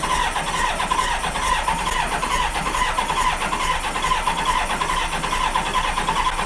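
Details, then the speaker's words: 1986 Honda Goldwing GL1200: steady starter churn, never fires. Cranking no-start because the rear cylinders have no spark. "that was loud well guys it doesn't start don't tell the guy at the beginning of the video that it doesn't start"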